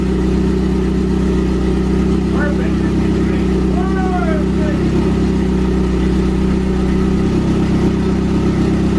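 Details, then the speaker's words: KA-T Nissan 240SX on an untuned Megasquirt standalone ECU, early start after engine install: uneven, stumbling idle hunting around four beats a second. Super rough running from an untuned fuel and ignition map. "that sounds that sounds like four cylinders that's four cylinders but uh it was super rough it was super rough and it had a lot of working that I needed to do"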